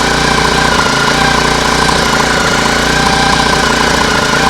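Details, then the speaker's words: Lawn mower engine on homemade air-cooled outboard, prop out of water so not loaded: steady mid-pitched drone at cruising throttle with water splashing, no knocking or hunting; running fine. "it actually sounds uh quite okay I think we got a lot of water splashing but I'm not I don't think that it will be like that when it's in the water"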